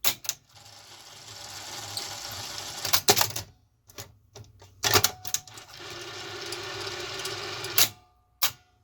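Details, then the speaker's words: Zenith Video Director VR-8500PT top-loading Beta VCR after fitting a new belt: dry, hissy whirring during tape loading between sharp clicks and clunks; very loud bearing, left unlubricated to avoid getting oil on a belt. "great that bearing is like super loud in there but i don't know if i want to put anything in it for risk of getting oil or something on a belt or an"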